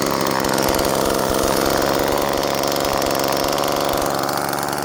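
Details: Homelite Super 2 chainsaw, old saw in good shape: ragged, uneven two-stroke buzz that never settles into a clean rhythm; runs rough, owner suspects carburetor stiff from being run too rarely.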